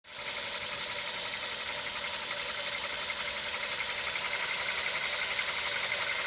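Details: CFNA engine at operating temperature, hot idle: fast, fairly regular light ticking knock riding over the engine; knock appears when hot, cause unknown.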